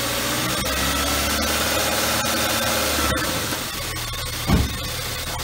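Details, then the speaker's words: BMW 1 Series E81/E87, first cold start after replacing the hydraulic lifters and refreshing the camshaft (rocker arms kept): a steady, even idle with no top-end ticking; to be rechecked warm. "wir haben den zusammengebaut wir lassen jetzt mal laufen darfst du mal starten er läuft es aber jetzt selber gut"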